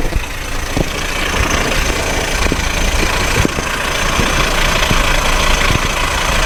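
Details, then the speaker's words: Car at idle, listened to with a hose near the starter: a constant rough rattling whirr that doesn't change with revs, first suspected to be a bearing; faulty starter bendix drive gear dragging on the flywheel. "If you could notice it, the noise comes from The starter engine or close to it At the beginnig I thought it was a bearing"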